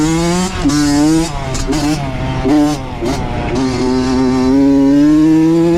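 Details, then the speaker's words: Honda CR80 two-stroke with Keihin PWK 28 carb, about 60°F, right after a spark plug swap: crisp revs climb and fall cleanly with no bogging. The old plug likely had too much oil on it. "that spark plug made a huge difference holy [ __ ] this thing runs so [ __ ] good now"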